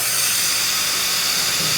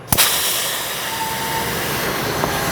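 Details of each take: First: Tsunami Pure 10 regenerative desiccant air dryer, muffler removed, tower shifted into regeneration; steady even high hiss of air exhausting with no chatter; piston sealing inlet air properly, normal purge. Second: Tsunami regenerative desiccant air dryer, piston with simulated missing O-ring, muffler removed: loud, steady roaring hiss as system pressure bypasses the piston and inlet air dumps straight out the purge port.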